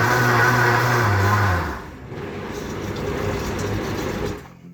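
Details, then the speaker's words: 64-ounce Vitamix blender, previously barely turning and smoking, tested with water after blade assembly replacement: motor spins up to a smooth, steady hum, then winds down cleanly with no grinding or rattle; sounds like new. "Wow. It runs a lot better, doesn't it? A lot better. Now you're ready to make some smoothies, right? Sounds a lot better. It sounds like it did when it was brand new."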